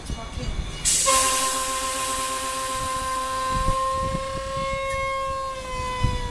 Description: At about 0:12 car number 7494 makes a really weird noise.